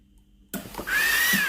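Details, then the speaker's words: Philips GC9682 steam iron, steam not coming out with the water button; microswitch pressed fully: sharp click then steady hiss of steam with faint whistle, solenoid valve working normally. "El vapor sale normalmente. Hay un sonido. La electroválvula funciona."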